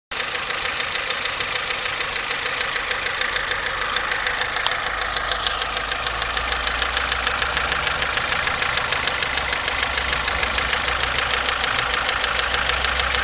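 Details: 1997 Daewoo Nexia with G15MF engine at idle: sharp, even tapping about three per second over steady idle, staying constant; a knock inside the engine, source undetermined.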